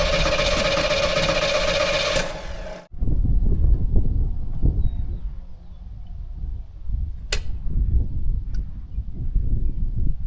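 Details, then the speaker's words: 1984 Chevrolet Monte Carlo SS, sat in a barn for years, primed with fuel poured into the carburetor: loud cranking about three seconds, wants to fire but doesn't catch. Cranking no-start; fuel not reaching the carburetor, line from tank found dry. "Sounds like it's gonna fire off pretty easy actually, and it does sound a little bit thirsty."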